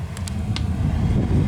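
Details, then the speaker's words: Whalen in-wall HVAC unit in a Marriott hotel room, fan on low in auto mode, 72°F: steady heavy low air rumble, loud even on low; owner unsure if due to a dirty filter or poor insulation. "Now, one thing I will say about this unit is that even though it's in the wall, and these tend to be quieter, this one in particular is quite loud."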